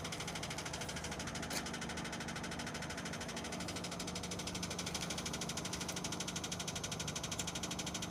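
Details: Renault Scenic 2 with 1.6 K4M engine and automatic gearbox at 202,000 km: a steady knock, about three per second at idle, comes from low in the engine and appears as it warms up. Bottom-end knock, cause unknown.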